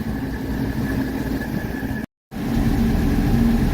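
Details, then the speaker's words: 1985 Mercedes 300TD after new AC compressor and dryer with R134a charge, AC on high: steady diesel idle clatter with a faint even hum as the compressor clutches in, no grinding or squeal; vent temperature dropping, working normally. "All right, AC compressor just kicked on and I see them the dials dropping."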